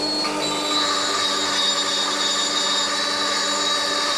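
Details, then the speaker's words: Brasilia Festa / Bianchi Talia bean-to-cup coffee machine running the cleaning rinse cycle after daily clean and reassembly: steady hiss of water through the mixing bowls with faint pump tone, no gurgling; reassembled correctly, no leaks. "you can hear water running through the mixing bowls, and it's only going into the cup, so we know that everything has been reassembled correctly."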